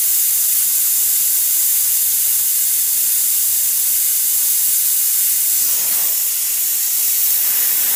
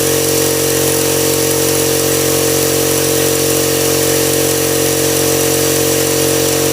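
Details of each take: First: Husky air compressor: steady, unbroken high hiss of escaping air with the motor off, an air leak around the pressure switch; cause suspected, not confirmed. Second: Husky 5-gallon air compressor that previously ran without cutting off; after a pressure switch replacement it gives a steady, even motor hum and pump drone with no knocks or surges, running normally.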